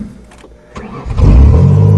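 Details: 1994 Ford Taurus wagon after refuelling and priming: brief crank, then the engine catches within a second and climbs into a strong, steady run; normal start.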